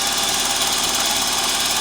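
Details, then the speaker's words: VAZ 21093 1.5 engine, cold idle before Suprotec treatment: fast, light, steady ticking over the idle from loose tappet cups; knock disappears once the engine warms up. "Вот видите машина нагрелась до п только когда уже уже ей Да скок то слышно как они стаканчики там играют сейчас она нагреется стук сразу же уйдёт"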